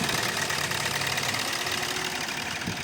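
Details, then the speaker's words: Hyundai Creta that stalled while driving and wouldn't start, traced to a dead number-3 injector (injector IC fault on ECM), after ECM repair: even idle under steady hiss, no misfire or stalling; starting problem cleared, normal idle. "ఈ car కి starting problem ఏదైతే ఉందో అది clear అయిపోయింది. ఈ third number injector work చేయలేదు. దానివల్ల ఈ బండి స్టార్ట్ అవ్వలేదు."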